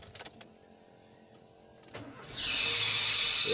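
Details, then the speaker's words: Toyota at start-up: loud, high-pitched shrieking squeal rising over the engine, possibly from a dry pulley bearing and worn, too-thin belt; belts drive the steering pump and water pump; bearing and belt to be checked. "So possible yan bearing. Tuyo na yung bearing at belt. Masyado manipis."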